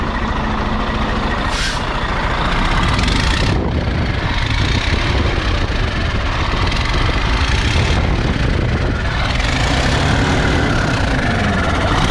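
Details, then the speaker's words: D12 diesel truck revved, heard from the cab: heavy rumble with a harsh metallic rattle rising with rpm, also audible at idle; first thought to be an injector problem, it is a cracked EGR pipe that can cause cab fumes and power loss. "Yeah, so this is your EGR pipe rattle."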